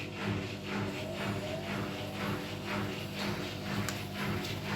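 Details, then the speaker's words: Scrap washing machine tested as replacement, on spin cycle: smooth spin without bearing rumble, but a steady dull boom about twice a second; drum thumping during spin. "Just put it on spin, which is spinning fine. There's no horrible noise from spinning, but it's going boom, boom."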